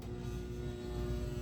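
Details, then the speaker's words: 1979 Gottlieb Genie pinball machine at first power-on: steady low buzz with no rhythm or pitch change, traced to the energized coin door interlock coil, which isn't needed for home free play. "let me investigate what is uh buzzing um I'll be back okay I found a couple sources of buzzing one is the"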